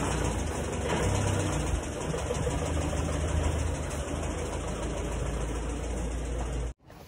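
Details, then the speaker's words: Panther diesel engine just after an expensive overhaul with new seals, still idling very roughly. Heavy, uneven tak-tak knock that persists even though injector pressure was ruled out; parts checked fine and faulty pistons are suspected. The engine cuts off at the end. "jadi permasalahannya pada suara yang kasar saja ini dan kasarnya itu ya enggak kasar enggak kasar nanggung tapi kasar kasar bangetlah"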